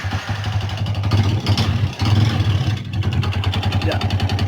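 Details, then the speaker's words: Old Yamaha Vixion idling with throttle blips: harsh, clattery idle with uneven knocking from the cylinder block. The con rod was recently replaced. Worn piston and rings suspected, teardown planned. "Ini motor sendiri suaranya kasar nanti saya mau bongkar semua itu bloknya yang kacer bunyi ya"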